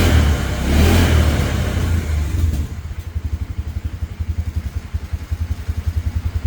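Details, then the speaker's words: 2017 Polaris Ranger 570 EFI, no fault codes, air filter, spark plug and coil already checked: revs then drops to lumpy, wavering idle about four pulses a second, hard to keep running; owner suspects failing fuel pump, replacement pending. "It's just not throwing any codes for why it's running bad."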